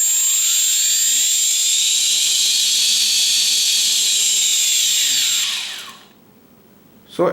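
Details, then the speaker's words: Four quadcopter motors in H configuration starting together at raised throttle after ESC calibration, steady even high-pitched whine then spinning down; motors running smoothly, ESCs calibrated. "so now I am increasing the throttle here you can see four Motors are starting at the same time so yes is are calibrated"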